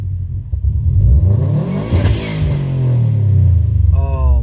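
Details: Stock, untuned Subaru WRX/STi with a Tial blow-off valve venting to atmosphere and the recirculation port plugged: revs climb and fall, then a sharp airy whoosh as the throttle snaps shut. It runs rough and rich with a fuel smell. Blow-off valve venting.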